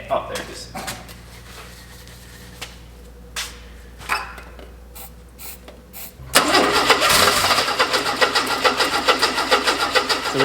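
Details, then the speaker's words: Classic six-cylinder with new fuel pump, choke on: starter cranks at an even steady rate with no firing at all; crank no-start, no fuel reaching the carburettor, pump suspected but new, so carb bowl to be checked next. "don't have any any fuel at the carb, which could be fuel pump, but it is new, so I don't want to assume it's that."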